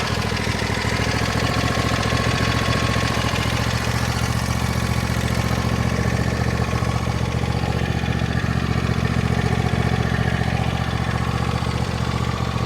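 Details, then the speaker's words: 2014 John Deere D130 riding mower, after electrical and deck repairs: steady even idle with smooth low throb, no misses or knocks; running great and cutting great. "We'll take this for a little test drive, but it's running great and cutting great"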